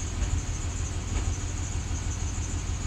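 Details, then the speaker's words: 2005 Chevrolet Silverado, sat a year, warmed up after spider injector replacement: low uneven idle with an irregular stumble about twice a second; misfires still on cylinders 1 and 2. "this thing is still misfiring and when we look at the misfire data we still have misfires on cylinder one and two"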